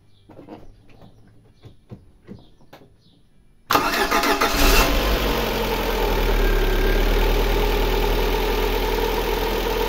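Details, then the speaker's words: Lada Granta 8-valve engine after repair for ringing and knocking, valves faced for proper clearances: quick crank, then catches and settles into a smooth, even idle with no ringing or knocking; running normally. "Ну и наконец-то он заработал как обычного свеклу без Лона самолетов шатунах 10 поршневой"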